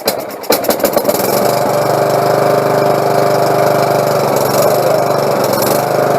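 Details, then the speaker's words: Lawnmower after carburetor cleaning and removing a pin: catches after a few coughs and settles into a steady, even run with no misses or surging; normal running. "there we go well sounds good i think she's gonna work everything's clean"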